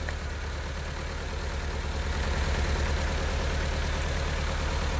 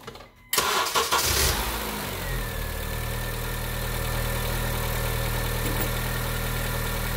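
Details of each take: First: 2010 Honda Civic 1.8 L gasoline, automatic, idling after coil replacement for a cylinder-3 P0303 misfire, with one coil disconnected on purpose: rough loping beat, about three thuds a second, from one dead cylinder. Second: 2010 Honda Civic 1.8L gasoline automatic after replacing the bad cylinder 3 coil (P0303 misfire): brief crank, then a smooth, even idle with no misfire.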